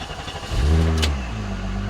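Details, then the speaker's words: VW Corrado OBD1 VR6 automatic, first start after swapping back to the stock ECU: engine cranks briefly, catches cleanly and settles into a smooth, even idle within about a second; normal engine start. "so we'll see if it fires up with that stock"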